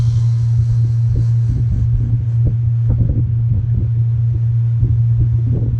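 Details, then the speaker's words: Home AC outdoor condenser unit on a windy day, just after fitting a new 3-wire OE condenser fan motor: a steady low hum with slight buzzing and wind buffeting, no grinding or rattle; the new condenser fan motor is running normally. "And these always make a little tiny bit of a buzzing noise, but you'll know when it's bad. You'll hear the grinding and the loud noise."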